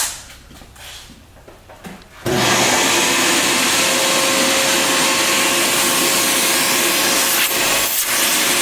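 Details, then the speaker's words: Bissell Garage Pro wet/dry vacuum and blower, vacuum side switched on with hose attachment: loud, steady rushing whir, strong suction, no surging or grinding — normal running. "Now the suction on this baby is awesome. You don't have to worry about that. It is definitely strong."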